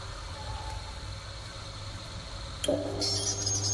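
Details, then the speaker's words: Inverter AC (Voltas/Lloyd/Reconnect type) with F1 error: with 5 V, 15 V and 337 V DC at the rectifier all normal, a faint hum then a click as compressor and fan start with a steady whir, cutting out seconds later; cause not yet found. "Compressor हमारा on हो गया, motor भी हमारी on हो गई। लेकिन इसमें क्या होता है ना कि ये ज़्यादा देर चल नहीं पाता और ये तुरंत ही बंद हो जाएगा।"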